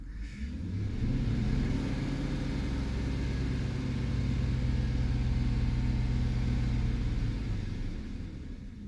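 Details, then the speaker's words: 2009 Chevy Silverado 5.3L V8 lightly revved, car shaking, with an uneven lumpy rumble from a cylinder 2 misfire, checked with an oscilloscope on the coil-to-plug wire; spark plug slightly closed gap and badly burnt. "poquito í se siente que tiembla más el carro ahí está temblando está temblando un acelerón lo voy a soltar"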